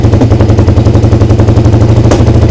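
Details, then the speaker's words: Suzuki SV twin at idle before carb sync: loud lumpy idle with small popping backfires; rpm rises when brake cleaner is sprayed at the intake boot, revealing an air leak there. "Donc là on entend bien, paf, on a une petite déflagration. Et en fait si je prends un peu de nettoyant frein et si je le pulvérise là,"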